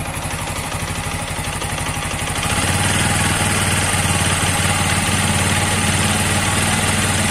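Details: TVS Apache 160 4V special edition, a new bike that recently had its bore changed. Regular knocking at idle, about 220 a minute, grows louder as revs rise; engine knock, with the connecting rod or crankshaft suspected.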